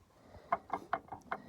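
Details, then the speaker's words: Dodge Caravan/Chrysler Voyager 2.4 petrol EDZ, A604 automatic: flexplate rocked by hand after unbolting from the converter, five hollow metallic clunks; loud knock while driving, heard from below near cylinder 4—flexplate cracked around crank bolts, balance-shaft chain also stretched. "І цей звук при їзді був дуже громкий. Ну, короче, понятно було, що якась проблема."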